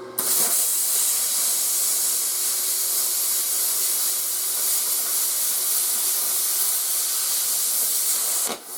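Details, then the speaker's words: 120/240 V 55 A plasma cutter after dragging an edge cut: loud even air hiss about eight seconds cooling the torch tip, then automatic shutoff; normal post-flow. "that air coming out? That'll probably run for just a little bit to cool down the tip of the torch, and then it shuts off automatically."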